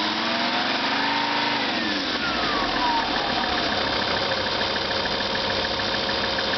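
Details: Lancia Thesis 2.4 JTD diesel, warm after about 30 minutes and 25 km of driving: idle with a thin high whine over it, sliding down in pitch early on; whine still present, source unclear.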